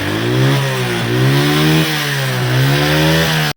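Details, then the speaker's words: Motorcycle engine revved up and down with a loose, busy clatter from many engine noises. "ये देखें कितनी सारी इंजन में से आवाज़ें आ रही है।"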